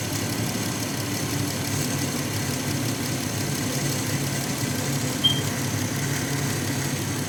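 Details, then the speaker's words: 2016 Dodge Grand Caravan 3.6L at idle after alternator replacement: engine noise much reduced, but a faint constant hiss and whirr from the belt area remains; tensioner and a pulley suspected. "cambié el alternador. Ya no se escucha tan feo, pero parece que el tensor está haciendo un poco de ruido. Y una polea."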